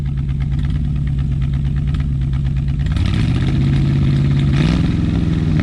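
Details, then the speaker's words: Revived 1967/1968 Ford F100 pickup V8: deep steady idle that picks up cleanly when revved, pitch rising and holding without stumbles; normal revving, runs pretty good. "i think the old girl runs pretty good look at there daddy rev it up rev her up just in there rev it up"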